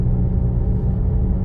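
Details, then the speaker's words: Car with a CVT on a road drive: steady, deep droning rumble from the front end, a bad wheel bearing, much worse toward the left; the car also seems to misfire. "woo it's got a bad wheel bearing all right let me uh get up to my road there all right so we get to a safe Point here you can hear that worring noise in the in the front end oh it gets much worse on the left"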